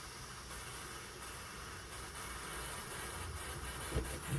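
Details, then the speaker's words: 25+ year old Coleman petrol stove after service, lit burner, tank only lightly pressurized (about 40 pumps): steady hissing roar with faint uneven pulse about every half second; owner thinks pulsing is fuel moving from insufficient pumping. "now you can hear it's just pulsing a little bit at the moment that's probably because the fuels moving I haven't really pumped up that much"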